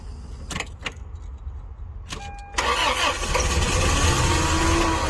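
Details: Toyota Tarago/Previa/Estima 2TZ-FE petrol engine after replacing blown head gasket and cylinder head, weak battery with assist: a few quick cranking turns, then catches and settles into a smooth, even idle with no misfire or knocking.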